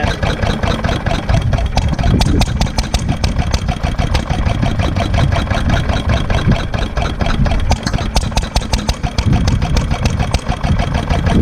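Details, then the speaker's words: 1946 International Harvester LB single-cylinder hit-and-miss engine, cold start for the day with the crank handle and choke pushed down: slow, heavy chuff-and-bang rhythm firing evenly with a steady beat; normal cold start. "all right we're starting our up cold for the day grab a hold of the crank handle pull it out push down on choke cold may need a little more"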